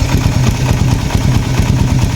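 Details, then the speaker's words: Raider 150 FI motorcycle at 43,904 km before tensioner reset: fast light ticking over a low single-cylinder idle thump that doesn't fade, not yet very loud but sometimes louder; cam chain tensioner needs resetting. "sa case ng motor ko, sa takbo niyan na 43,000, ayan ang tunog, hindi pa siya sobrang malagitik, pero may times na malagitik na"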